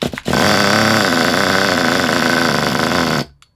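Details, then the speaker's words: Kyosho Pure 10 Alpha nitro RC car with a non-original exhaust, pull-started before warm-up: screams but rough and uneven, burbling, trying to rev but can't make it; owner suspects very rich mixture or oil, needle may need adjusting. "It sounds like it's trying to rev, but it just can't make it. It could be very very rich."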